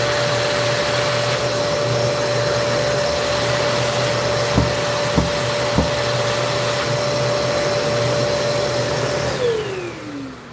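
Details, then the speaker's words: Vacuum cleaner with poor suction: a steady motor whine with three dull thumps about 0.6 s apart, then wind-down; the thumping comes from a spring-loaded analog sensor mechanism, cause of the problem unconfirmed. "So that's the sound of it thumping. And I guess that's the mechanism they put together."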